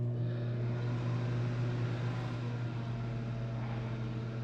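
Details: LG microwave after door switch replacement (previously lit and counted down but didn't heat or hum): steady low even hum with no crackle or buzzing, now heating properly.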